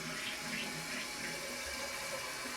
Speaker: this flap down here doesn't reseat. That's because that little arm broke off.